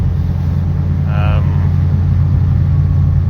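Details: Track Mk2 fitted with a high-compression 2.0 16v race engine on ITBs, under load: a steady, deep drone with no sharp metallic pinging or rattle. The owner wondered whether it was detonating, but this is normal running.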